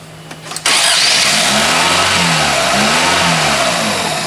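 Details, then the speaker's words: Chevy Cobalt after timing belt replacement, fifth or sixth start attempt with cam timing corrected: starter whirs briefly, engine catches cleanly and settles into a steady, even idle with no knocks, ticks or stumbling; normal start and idle. "we got it right this time sounds perfect"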